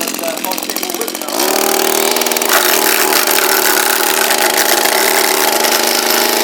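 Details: Echo SRM230 string trimmer, hard to start and not running right: catches after a second, then a steady buzzy drone that never climbs, sounding lazy and down on speed; a restriction or an ungreased head is suspected.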